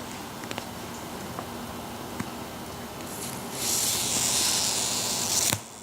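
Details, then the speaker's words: VW front tire with a screw in the tread, found during a brake adjustment; wiggling the screw brings a few clicks, then a sharp steady hiss of about two seconds, air escaping past the screw; tire air leak. "you can probably hear that maybe I wiggled it a little bit and I started hearing some air"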